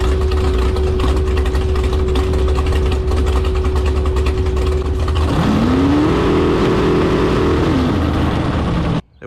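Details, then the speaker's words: Carbon fiber jet boat with rebuilt 632ci big-block Chevy at high revs, just over 5,000 rpm: engine holds one flat pitch without climbing further, then drops and recovers; appears stuck on the rev limiter. "turn over 5,000 RPM. Sounds like it's stuck on a rev limiter."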